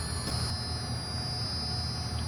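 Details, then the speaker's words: Factorymation VFD (variable frequency drive) in a 3D-printed cover for a disk sander in a dusty environment, running at roughly 5–6 of its speed: steady low hum with a thin constant high whine, barely audible, no roughness or surges; normal running. "there is the vfd and it's humming along you can hardly hear it at about 5 6 I suppose of its uh of its speed"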